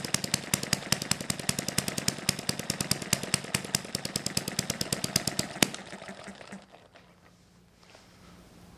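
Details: Small hit-and-miss model engine on correctly mixed fuel, 3 V ignition, needle valve about a quarter turn open, original governor springs: sharp, even pops about eight or nine a second, steady until abruptly cutting off; normal hit-and-miss running.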